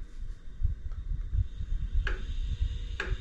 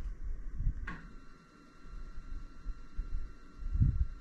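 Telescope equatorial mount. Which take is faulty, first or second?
first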